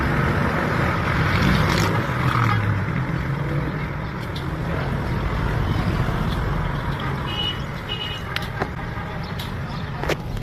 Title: Engine misfire (ignition coil) #garage #cars #repair # fail #automobile